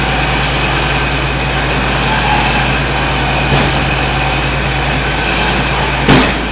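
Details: John Deere 4230 diesel tractor just after cold start, following frame bolt repair: steady deep idle with an even low drone and faint high whine, no knocks or misses; normal diesel idle.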